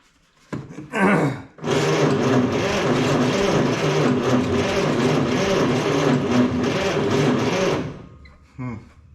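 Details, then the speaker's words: 1956 Plymouth Savoy with a 277 Poly V8, long-sitting first start attempt with gas poured into the carb; the starter spins at a steady, even chug for about six seconds but it never fires. Crank, no start. "ain't starting not even acting like it"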